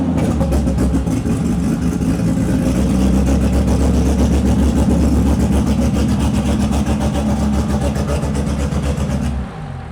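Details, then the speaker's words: RB-engined turbo car on the dyno after misfire troubleshooting on cylinder four (leakage 62-63%); heavy, loud full-load drone with uneven blubbery pulse, running way too rich; turbo damage suspected. "All right, that was [ __ ] fat as [ __ ] Yeah. That's what that was."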